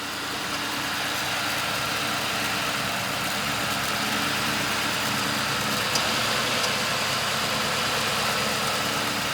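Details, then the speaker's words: 2005 Ford Crown Victoria Police Interceptor V8, automatic, 150,819 miles, with a suspected bad fuel pump, running on fuel poured into the intake. Even, steady idle with no knocks, misses or hunting; the engine sounds good. Normal idle. "Engine sounds good. Going to shut it off so that I have fuel to get back in the parking spot."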